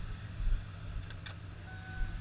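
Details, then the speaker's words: 1995 Ford F250, one owner, 5-speed manual, likely Flowmaster exhaust, at idle: deep steady rumble, no misses, belt squeal, manifold leak or ticking, no shaking. Normal idle. "Runs nice and smooth, no belts squealing, no exhaust manifold leaking, no motor mount issues, shaking around, no rough idles."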